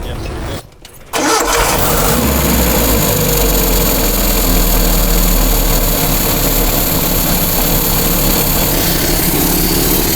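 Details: Datsun truck engine after rebuild and retiming from cylinder 1 top dead center: brief crank, then it catches and settles into a steady, even idle with no misses or knocks; normal start and idle.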